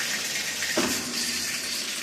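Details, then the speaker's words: Whirlpool/Kenmore/Amana/Maytag top-load washer in automatic diagnostic test mode, cold water inlet valve tested: steady hiss of water filling with no chatter or buzzing, valve working normally; machine's complaint is not spinning, suspected actuator/clutch. "It that was just testing the cold valve. So, it test the hot and then the cold or cold and hot."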